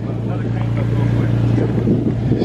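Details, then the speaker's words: Infiniti G35 started after sitting one to two years: a steady, even idle with a low smooth hum and no knocks or misses. Engine running healthy. "this car ain't been started in like one or two years some [ __ ] like that she doesn't sound bad dude that [ __ ] sounds good"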